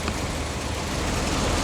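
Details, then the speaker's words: VH Holden Commodore first start after new vacuum hoses, fresh oil and coolant: engine catches and settles into a steady, even idle with no knocks or misses; sounds healthy. "It runs."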